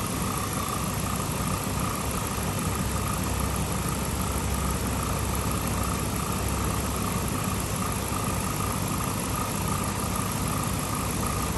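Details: 2007 Chrysler 300C Hemi V8 that was overheating and boiling, after refilling the slow-bleeding coolant system: steady, even idle hum with no ticking, knocking or misses over constant blower hiss, heat on to burp air; normal idle.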